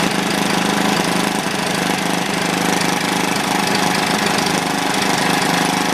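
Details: Old, worn Clinton B700-series single-cylinder engine (model B704, possibly ex-rototiller), choke on, thumps along at a steady pace with no stumbling or surging; running normally, a tad smoky.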